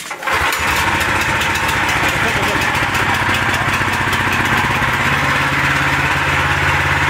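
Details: Kohler 14 HP single-cylinder engine on near-new plate compactor that wouldn't start, running after disconnecting faulty shutdown sensor cutting spark: catches almost at once, steady even chug with no misses; normal running.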